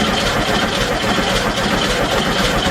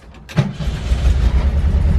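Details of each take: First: VW Bus at first start, oil at the full line, coil unplugged: starter churns the engine in a steady, slightly uneven rhythm of about two beats a second to build oil pressure. Cranking without firing because ignition is deliberately disabled. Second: VW Bus restarting right after shutdown: brief starter whirr, catches at once into a low, even rumble; healthy quick restart despite exhaust needing work and a suspected leaking fuel pump or fuel line.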